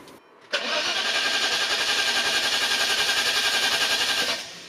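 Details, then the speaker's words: Maserati 3200 GT V8 biturbo with weak battery: starter grinds the engine over sluggishly, about four pulses a second for nearly four seconds; slow cranking from low battery. "Tôi đã cảnh báo rằng trong trường hợp pin yếu, máy tính tiền đã làm bất cứ điều gì và... Quả thực!"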